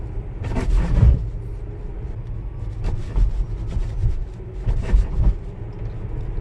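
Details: Tesla rolling over speed bumps: low cabin rumble with sharp clunks and creaks. The suspension rattle persists despite a newly developed suspension part being replaced and repeated service center repairs.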